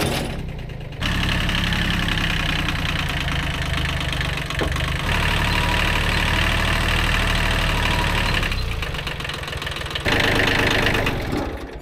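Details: Kubota B7100 tractor after replacing chipped gearbox gears and worn bearings: diesel chugging at a steady beat with no whine or grinding; normal running.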